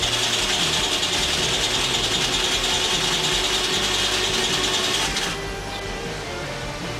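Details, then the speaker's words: Tomos Nitro 50 scooter, unrun for 10 years, just after engine reassembly, cranked off a truck battery: fast even cranking, about three strokes a second, for five seconds without catching; turns over but won't start. "i've done a bunch of kicking and it's been pointless all my battery packs are dead this trickle charger ain't helping so i hooked it up to my truck and it sounds like it's about to go but i didn't let it go so let's see what happens"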